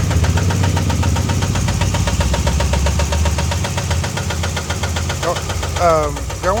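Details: Steady, fast, even ticking knock over a rough idle, keeping time with the engine; rod knock suspected, source not confirmed.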